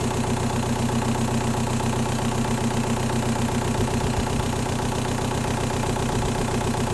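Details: A 1.9L M-TDI diesel at steady idle has a hard, rattly clatter at every firing stroke, harsher than normal; faulty injectors were diagnosed amid a fuel problem: diesel injector knock.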